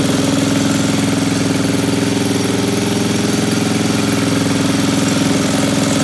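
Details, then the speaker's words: Old Briggs & Stratton-powered generator after carburetor and points repair, having sat a few years: even, fast putter at constant speed, no misses or knocks; runs normally. Pull-start one-way bearing dried out and screeches. "But it runs great, and I'm gonna fire it up and I'll let y'all hear it run for a second."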